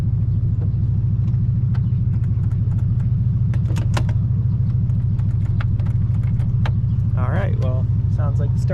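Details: 1986 Baja Sunsport 190 boat, 350 ci MerCruiser Alpha One, in water: steady rhythmic cranking about three beats a second without catching, then starter cuts out.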